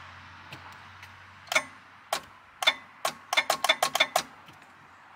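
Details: 1999 MasterCraft MariStar boat with newly installed engine, first start attempt on driveway: single dry clicks, then quick burst of about eight at key turn with no cranking; dead battery, fixed by fitting fresh battery.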